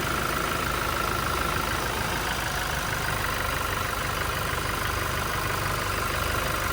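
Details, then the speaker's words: Toyota Innova 2.8 diesel, earlier noisy (makalansing) with oil warning light, after cleaning heavily sludged oil pressure sender: smooth, quiet, even idle with no rattle or knock, light tick in background; back to normal, no warning light. "Ayan, tahimik na yung andar mga boss. Bumalik na sa dati."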